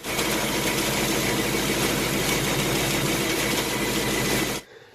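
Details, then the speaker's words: 2018 Mustang GT 5.0 Coyote Gen 3, about 3,000–3,200 miles, after cold start at idle; quick light intermittent tapping three or four per second, like a sewing machine ("typewriter/BBQ tick"); cause unknown. "well I started hearing as an auto down an intermittent tapping or a ticking issue"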